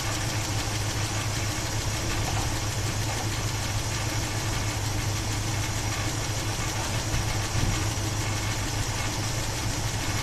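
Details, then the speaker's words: 1976 Chevy Blazer 4x4 with a 350 Chevy V8, hot, idling: a steady idle with a light, quick top-end tick from a hydraulic lifter that has been tapping for some time. The engine also runs badly, stalls, and has a separate rattle. "On this side, I just hear that tapping lifter that's been tapping for 15 plus"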